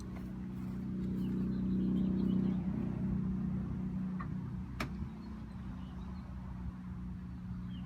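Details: 2012 Ford F550 6.7L Powerstroke diesel at idle before the resonator install, mic 16 inches from the exhaust tips, about 88 dB: low, steady rumble with an even beat and no knocks or misses; a normal idle.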